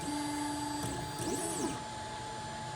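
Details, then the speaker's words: Monoprice MP10 3D printer homing again after checking the magnets: clean stepper whine, then quick chirps as the probe touches, drops a little, touches again and lifts. Smooth, normal homing; earlier noise blamed on magnets being off. "It touches, comes down a little bit, touches again, goes back up. So that time it was better. So I guess it was just because my magnets were off."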